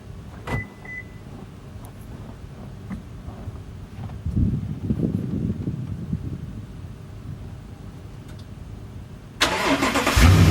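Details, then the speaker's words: Toyota Tundra V8 cold start early morning at about 12–13°F after sitting over 12 hours, following a PCV valve replacement meant to cure heavy smoke and a rough first 10–15 seconds. It cranks briefly and catches cleanly into a steady idle with no stumble: a normal cold start. "so I'll show you guys the co-star has been sitting for over 12 hours and it's early in the morning so I'll start out for you guys to look at it"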